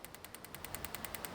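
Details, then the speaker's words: Turbocharged BMW M50/M52 on Megasquirt with AEM coils, troubleshooting serious misfires: engine not running, a coil pair fires sparks in injector test mode with a set dwell time. Crisp, evenly spaced ticks, about ten per second. "Niin täällä on täällä Mekassa tämmönen Injector Test Mode ja pistetään tuota vaikka, että 1,5 ja A ja tuossa on Well Time ja käynnistetään, että starttia, niin sieltä se rupeaa tässä pari tulupaa ruveta naksuttamaan."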